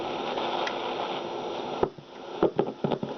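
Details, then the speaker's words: 1960 Philips B3X00U radio, warmed up and tuning stations: hiss broken by sharp irregular crackles and pops; dirty band switch contacts needing internal cleaning, shortwave bands still faulty. "so um that's what i mean the switch is a bit dirty"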